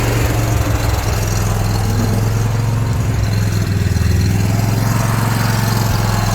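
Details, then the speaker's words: Generator, started during Texas cold snap for freeze protection, settles into steady even low idle with no misses or knocks after third start attempt; normal idle. "Let's go. Let's go. idle. So it should idle. There we go."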